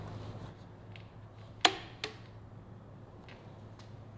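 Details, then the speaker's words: Cosworth XD turbo methanol IndyCar V8 during teardown, turned by hand: near silence broken by one sharp clack and a softer second one as the timing chain snaps over the tensioner while fighting the camshaft peak; not skipping teeth; considered normal. "it's literally fighting the peak of the camshaft so I'm not too worried about that noise at this moment because it actually kind of makes sense"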